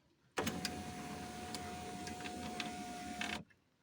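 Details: 2003 Volkswagen Touran driver's power window after repairing its frayed, scraping window-regulator cable: motor hums evenly for about three seconds as the glass runs down, then stops cleanly, showing normal operation.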